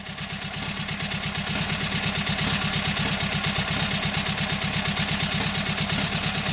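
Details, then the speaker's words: Kohler KT17 twin, first start after governor rebuild: even, regular putter about three beats a second, smooth, no knocks; runs nice. Oil pressure 50, governor pulls throttle back, timing good; carburetor needs tweaking, plugs to be replaced. "Governor seems to work, wants to pull the throttle back. Timing sounds good."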